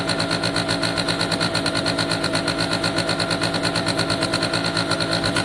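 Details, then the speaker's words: Italjet Formula 50cc two-stroke scooter, after fitting the carb and a new fuel tap and cleaning a wet original Bosch spark plug: steady, fast, even burble with no misses, idling on choke; normal idle. "Okay, that's great news at this stage. I can't see any fuel leaks, no sign of one. Started up okay there once I clean the spark plug."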